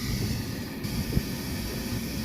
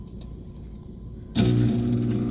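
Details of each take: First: Trane rooftop unit after replacing a failed draft inducer motor, heat now firing in about 30°F weather: steady low hum with an even rush of air, no ticking, scraping or wobble; the new inducer runs smoothly. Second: Trane furnace not heating, checked for flame rollout: the inducer blower kicks on to a steady low drone with a rough pulsing undertone, about four beats a second, with 212 V supplied; the failed inducer motor was replaced.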